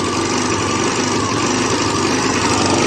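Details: 2005 Elystar 125 scooter engine, 16,000 km, running on its own for sale: even, steady buzzing idle with no misses, knocks or hunting; holds idle cleanly, runs perfectly.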